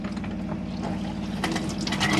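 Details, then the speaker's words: 2005 Autocruise Starspirit motorhome (54 plate), water pump on, hot tap being primed after filling boiler: uneven spluttering and gurgling bursts as tap coughs out air over pump hum until pressurized flow returns; air in water line during priming, normal. "just turn the back and then slowly start turning around until it gets rid of all the air and you get a pressurized flow from the hot side of the cold top"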